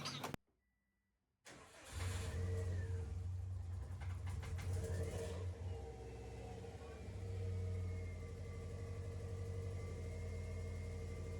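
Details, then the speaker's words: 2007 Subaru Impreza WRX EJ255 just after head and head gasket replacement, oil primed: first start, short crank then fires promptly and settles into steady, even idle without misses or knocking; running normally. "You want to try starting up and see what it sounds like real quick?"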